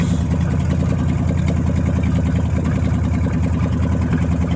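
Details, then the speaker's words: Dodge Challenger V8 with Terminator X, idling after replacing fouled spark plugs and fixing a missing vacuum hose that caused rich running, now hitting 13.8 AFR target; steady even smooth low rumble with no misfire, stumble or hunting. "it idles so much better now so i'm excited to really hear uh what this thing sounds like"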